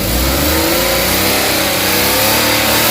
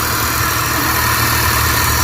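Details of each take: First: Suzuki DA64/DA63/DA17 that had cranked with no start, no ECM reading and no shifter lights (P0707): the engine now revs up and settles smoothly several times with no misses or knocks; it runs healthily. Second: Suzuki DA64/DA63/DA17 turbo engine, first start after wiring repair from blown fuse and no ECM communication: steady fast idle with even hum and airy hiss; idles high because the turbo intake hose is still disconnected.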